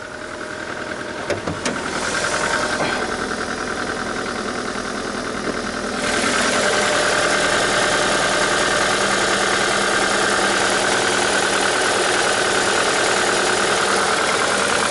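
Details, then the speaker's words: Mitsubishi with a cylinder 3 misfire, codes 0170, 1313, 0303 and 0135, at idle with the parking brake on: uneven, lumpy beat of about three pulses a second, and the manifold rattles. The owner suspects a fuel pressure fault from a fuel filter or injection pump fault; cause not confirmed. "но похоже он не сама подчинялся то есть даже общаюсь с ручника но слышно как машина не ровненько работает"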